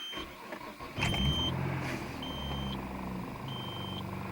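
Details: 1995 Nissan Maxima 3.0 after replacing torn intake boot and holed spark plug wires that caused misfire and rough running: catches and runs steady and even with no stumble or miss; knock sensor code present.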